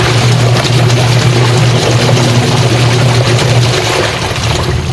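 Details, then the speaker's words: Sharp single-tub washing machine before repair, loaded with water: low motor hum under rough, gritty grinding like stones turning underneath; with more water it can no longer turn, gearbox grinding under load. "Kaya lang yung kabilang side, pagka umikot na, maingay na, parang gumigiling ng bato. Tapos pag dinagdagan mo pa yung tubig, wala na, hindi niya na kayang ikutin mga idol."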